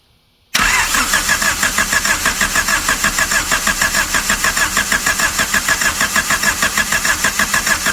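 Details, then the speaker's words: 1999 Honda Civic EK hatchback, sat several years, starter jumped straight to battery while holding distributor: steady starter chug, engine almost catching but not firing; cranks but won't start, owner suspects ignition timing needs advancing. "All right. Maybe I got to advance it and what not. I kind of heard it start."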